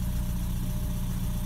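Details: Porsche 944 Turbo, first start after sitting and engine teardown for new seals and oil pan: deep, steady idle with smooth, even pulse, no ticking or knocking; oil pressure good, alternator suspected weak; normal idle.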